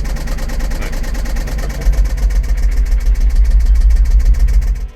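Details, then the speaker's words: Jaguar after cleaning a sugar-contaminated fuel system (tank, pump, new fuel filter): a deep exhaust rumble at idle with a quick, even clacking on top. The engine's top end is noisy, cause not found. "So while I'm sitting here enjoying some of these bass notes in between all the clacking of the engine, we might as well go ahead and wrap up this video."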